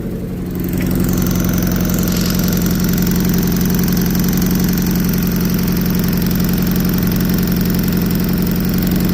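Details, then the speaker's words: Year 2000 MGF 1.8, mid-engined, sat abandoned five years, just started on a jump from a running Mercedes with fresh fuel added: steady, even idle with a smooth low hum, no knocks or misses; it sounds nice and runs cleanly. "what he needed. A bit of extra boost. Get in there. Well, it's got a nice tone to it."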